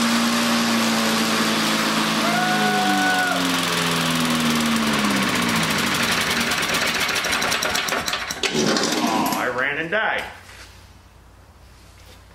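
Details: Rare 1960 Briggs & Stratton Sonoduct mower, flywheel under the deck, just reassembled, may need several pulls to pump fuel: catches and runs unevenly for several seconds, then fades and dies; starts then stalls, cause unconfirmed.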